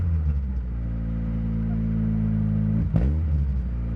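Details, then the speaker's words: 1990 Mazda 323 hatchback, four-cylinder, five-speed manual, 169,xxx km: deep boomy exhaust drone swelling on the rev, far louder than stock, from a cheap red Cherry Bomb muffler fitted by the previous owner. "so the previous owner they put this red exhaust piece in and what that is is it's called a cherry bomb"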